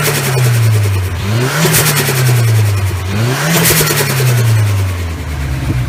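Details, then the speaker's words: Turbo car with newly installed turbo and a too-stiff blow-off valve spring: two revs, each followed by flutter and a rapid chopping sound as the throttle snaps shut, compressor surge as the turbo chops through pressurized air. "basically that not the flutter but that chopping sound that you hear uh that is your turbo trying to chop through pressurizing air that's called compressor surge"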